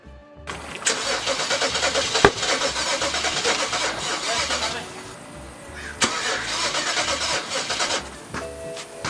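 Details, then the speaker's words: BMW 335i E90 in limp mode, cranking after high-pressure fuel pump replacement and cleaning a valve: the starter churns at about four beats a second and the engine nearly fires a couple of times but never catches; crank, no start. "Sounds close, no? Yeah, that's close, but not there."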